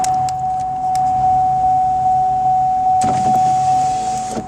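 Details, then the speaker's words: 2005 Chevy Impala power window after repairing a broken ground wire that caused switch buzzing: steady even motor hum holding one pitch as the glass rolls up and down, no catching or clicking; window now works normally. "but sorry I noticed videos a little shaky but as you can see the window rolls up rolls down now"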